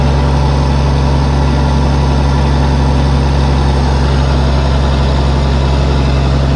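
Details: Case 1450B dozer with a freshly rebuilt diesel engine, just started after reassembly: deep, steady drone holding constant with no knocks, surges or rattles, idling cleanly.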